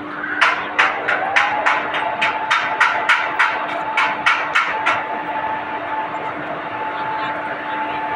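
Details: WAG-5 electric locomotive start-up during loco pilot's pre-checks: about sixteen sharp, evenly spaced knocks, roughly three a second, then a steady smooth hum; normal start-up knocking.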